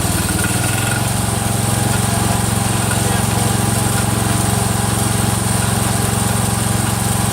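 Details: Freshly rebuilt Kohler single-cylinder engine in a Cub Cadet 102, running steady with a regular click about two and a half per second from the front pulley, which is coming apart; the rod is not loose.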